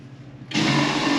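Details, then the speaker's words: 2010 Navigator motor yacht marine toilet (head) flushing: sudden loud whirring roar that holds steady, noisy enough to wake people sleeping aboard at night. "quiet systems the head if someone has to use that at two o'clock in the morning it's a wake-up call yeah especially when you still have to go to work you know you need a good night's sleep and if you've got super noisy heads well just listen to this thing"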